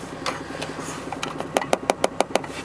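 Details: VAZ 21124, 1.6 16-valve engine: cold-start dull knock from the right, timing-belt side, about six or seven a second over idle, fading as it warms; sometimes at 1500 rpm in first gear, stopping with throttle.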